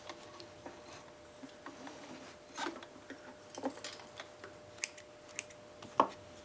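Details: Sailrite LSZ-1 sewing machine with new WorkerB motor, sewing leather with speed turned all the way down: quiet, slow, soft needle and feed ticking, unlabored, no knocking; normal healthy running at low speed, good stitches.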